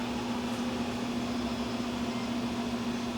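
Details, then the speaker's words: Electric car charging in the driveway, battery management cooling fans ramping up. A loud, even whoosh over a constant mid-pitched hum with no ticking or scraping; the fans run hard but sound healthy. "car sounds like a jet engine taking off fans ramping up because it's sitting out in the driveway charging so it's uh cranking up the battery management cooling system"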